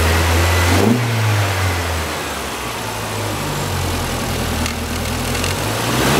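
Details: 2006 Mini Cooper, 1.6 L petrol engine, about 55,000 miles, five-speed manual, front-end damage, being parted out: an even low note that climbs and falls cleanly with each throttle blip, no knocks or misses. The engine runs excellently.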